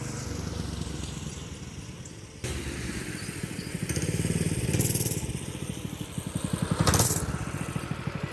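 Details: Predator 212 engine on a mini bike that ran but would not throttle up; after reinstalling the throttle linkage, which owner thinks was improperly installed and came off, a steady single-cylinder putter picks up cleanly as the throttle opens twice, no misses; running normally.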